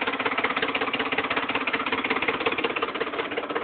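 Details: 2008 Ford F-150 5.4 V8 at idle: rapid, steady hard clattery knock like an old diesel tractor; owner suspects oil pump or timing fault, not confirmed.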